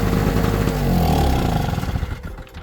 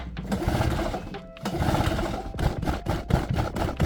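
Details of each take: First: Performance Power NLE850PG 850 W two-stroke generator, after carburettor cleaning, running in the garage with the cover off: raspy two-stroke buzz fires and runs, then the pitch sags and it winds down; it now starts, normal. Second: Performance Power NLE850PG 850 W two-stroke generator, won't start, choke on, fuel tap on, little fuel in tank: repeated rough recoil pulls, each a second-long rasp, never firing; carburettor later found clogged and cleaned.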